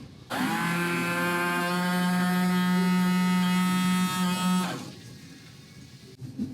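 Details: 1986 Porsche 944 headlight washer pump during headlight washer repair: steady, even electric motor hum for about four seconds, then a clean cut-off. Pump runs normally.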